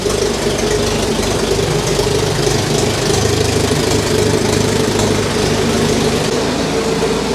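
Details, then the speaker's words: Barn-find Saab 99 after first start, choked (three pulls), running over a minute with good oil pressure: steady even fast idle, revs without spluttering, stumbles or cutting out; fuel problem apparently sorted, running normally. "She's got good oil pressure. Will it rev? Yeah. No spluttering or cutting out."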